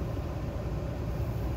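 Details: 2006 Chevrolet Impala heater blower on full blast with the phone unplugged from the dual-port charger: steady, even rush of air with no dropouts, flutter or rattle. The fan wavers and cuts out when the phone is plugged in.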